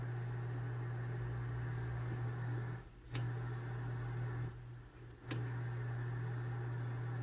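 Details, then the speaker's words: 1968 NOS Packard Bell test set at 2400 hours, volume all the way up: steady low hum at constant pitch with two brief dropouts and clicks; owner unsure if it's filter hum, quiet with volume down; capacitors suspected failing. "there is some harm there I don't know if it's filter hum because it's with the volume all the way up it's totally quiet with the volume down"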